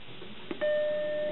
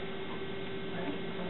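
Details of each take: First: Macintosh SE booting from a floppy system disk; the hard drive is not recognized: a single clean tone rings for about three quarters of a second right after power-on, the normal startup chime, followed by the Happy Mac. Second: Used Macintosh SE right after booting to the Happy Mac from floppy (hard disk not recognized): constant mid-pitched hum with an airy whoosh as the cooling fan runs quite loud.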